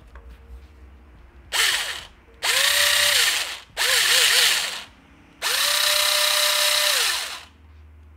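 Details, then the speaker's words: Jing Ming J10 ACR gel blaster gearbox with metal gears, after reassembly: four short bursts of smooth, even whirring with no grinding or clatter; good gear mesh. "That sounds fucking beautiful. So that is what a good mesh should sound like, even on Metal Gears."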